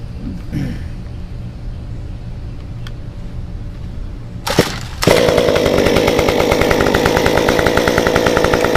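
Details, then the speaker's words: Stihl 193T climbing saw with muffler mod, ~8–9° timing advance, 93 non-E fuel, formerly stalled and wouldn't stay running; restarted after sitting about 20 minutes, fires at about five seconds and settles into a steady even buzz without stumbling; runs normally. "But after we did the muffler mod and after I increased my octane, it actually started to run a little bit better. But when I did the timing advance, after that I never had a problem with this saw."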